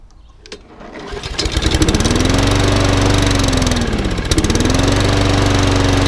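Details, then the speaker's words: Rusty job-lot lawnmower after a carburettor clean, a new spark plug and freeing a governor arm stuck on the wrong side that had made it over-rev; it pull-starts and settles to a steady drone, smoky at first: normal running. "A new spark plug in it. It wants a bit of love and attention, but it's all running. It was very smoky at first."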